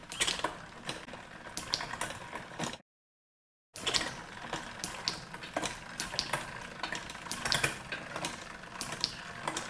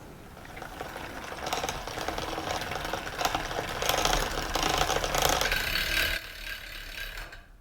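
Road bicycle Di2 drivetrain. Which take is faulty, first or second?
second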